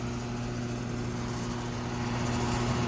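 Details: Older home A/C outdoor unit in Florida after replacing seized condenser fan motor: even steady hum, smooth low drone, light fan rush, no scraping or dragging; runs smoother than before, pipe getting cold; fan running properly.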